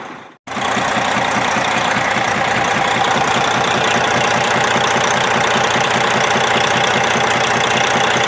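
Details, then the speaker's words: 60 Series Detroit 12.7 diesel at raised idle, holding good oil pressure with almost no blow-by, gives a steady knock about two or three a second. Suspected broken piston skirt or wrist pin problem; a rod bearing is doubted given the oil pressure. "My thought is it could be a broken piston skirt. This may have it, I assume it's a two-piece piston, but I'm not sure. It could be a broken skirt in the piston, could be a wrist pin problem,"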